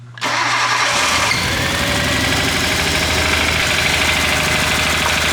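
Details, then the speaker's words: Nissan RB25 after installing aftermarket cam and crank trigger kit: cranks and fires, then idles with an uneven stumbling pulse and skipped beats; misfire found to be ignition wiring harness installed backwards. "Well, let's run it and let me figure out what cylinder's misfiring, I guess."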